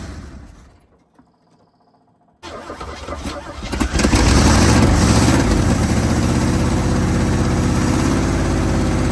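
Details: 1980 Chevy Sierra Grande K1500 V8, sat 22 years, first start after new distributor, belts and fan installed: cranks, catches at once, flares, settles into steady even idle with regular beat; normal.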